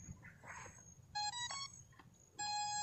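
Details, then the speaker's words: SJRC F11 4K Pro drone switched on: two short bright beeps then a longer one about a second later in a quiet room, normal power-on chime before controller pairing. "Oke, jadi sekarang mula-mula kita kasih hidup ini drone."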